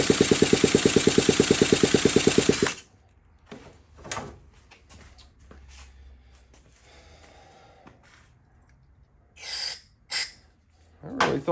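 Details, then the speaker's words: 1979 Honda Z50, fuel getting through the carb, flywheel nut removed: fast even popping for under three seconds, then dies abruptly, handling clatter follows; fires briefly but won't keep running. "sounds like it wants to oh took the nut off that might be all we get sound like a little more there"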